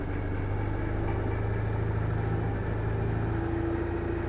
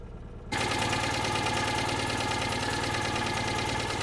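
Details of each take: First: One of a fleet of cars (CityRover, 2CV, Invacar, Toyota Tercel) being restarted after five months locked up; the engine ticks over evenly with a low rumble, then takes two brief revs that rise and fall cleanly, running normally. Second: Small car running again after five months laid up: it catches and settles into an even idle with a light tick on top. This is slight tappet noise.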